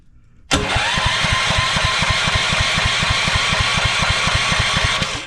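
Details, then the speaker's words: DeWalt 3400 psi pressure washer engine cranking: even pulses about four per second, never firing; no spark because the ignition switch is wired backwards, spark only in off position, and the plug is rusty, owner suspects water inside. "we do not have spark that is weird that is backwards I bet you the factory done that and now we have spark with it on o for off"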